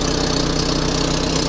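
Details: 1997 Volvo 480 project, restarted after fuel filter and fuel pipework replacement, checking for fuel leaks (none found): steady idle with sharp regular puffing chuff on every firing pulse and rattle, exhaust gas blowing from a leaking exhaust junction underneath.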